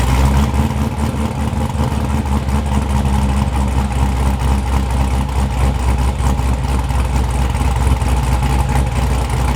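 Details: Newly built LT1 Corvette C7 engine with Stage 1 Brian Tooley cam, cold start before tuning: deep choppy lope repeating evenly at idle, no misses or knocks, trimmer buzzing behind; healthy cammed V8.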